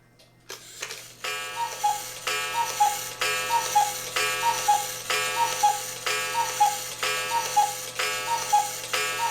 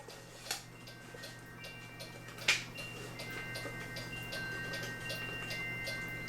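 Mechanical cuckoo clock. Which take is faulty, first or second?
second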